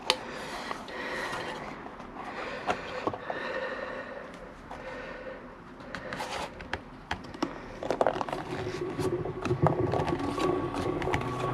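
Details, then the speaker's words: Wahoo Kickr V2 indoor trainer flywheel spinning and winding down: a rough scraping grind with rattly clicks from rough bearings, slightly quieter as it slows. "Still sounds like a pack of spanders. It sounds a bit quieter winding down."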